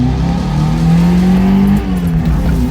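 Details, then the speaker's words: 2015 Mazda 3 (BM): engine revs climb smoothly and drop back with no stumble or hiss; owner says it now breathes properly after previously sucking in hair and dust, sounding much better. "But it's before it was sucking in straight like fucking hairs and dust and stuff, and now it's actually breathing, so it can go way faster. And and sounds 10 times better."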